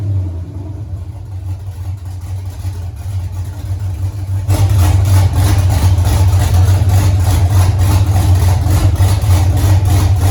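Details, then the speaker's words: 1983 Mustang with cammed 5.3 LS from 2002 Avalanche, in park, thermostat not yet open, idle near 750 rpm: lumpy uneven idle with slight hesitation, steadier when revved; choppy idle, more chop at lower rpm, flat spot to tune. "It's got a little flat spotted idle, so we'll have to look at that. But cylinder temps all look pretty even, within 10 degrees or so. It's definitely got more chop with less RPM."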